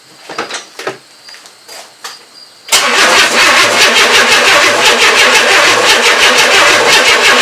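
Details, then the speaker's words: 1994 Chevrolet S10 4.3L early Vortec, first crank after engine install, distributor re-timed; starter spins it at a steady chug about three beats a second but it won't start; owner suspects no fuel getting up there. "oh yeah it's just not getting any fuel up there i'm just gonna end up killing the battery"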